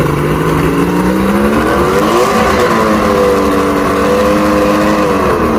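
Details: Mercury inline six outboard after no-spark repair (trigger and stator tested, spark on all six cylinders): catches and runs strong, pitch climbing and settling smoothly with throttle, no misses or knocks; weak water pumping, impeller needs replacing.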